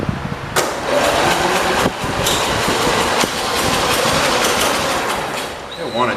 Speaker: i already hear it it sounds like it is leaking yeah let me try it again i think i'm gonna go with it is leaking uh judging by the sound of it